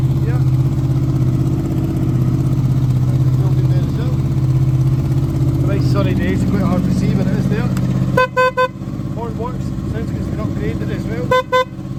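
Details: 2007 Honda VFR800, 36,000 miles, upgraded exhaust: two clear horn blasts, a longer one then a short one, over a steady idle; horn is loud and working properly.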